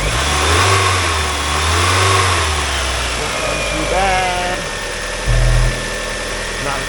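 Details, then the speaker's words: 1999 Mazda Miata NB, 1.8L BP-4W engine, 5-speed manual, 91,557 miles, running before teardown: steady low idle with slight rhythmic sway, no knocks or ticks, not much blow-by; healthy engine. "Not a ton of blow by."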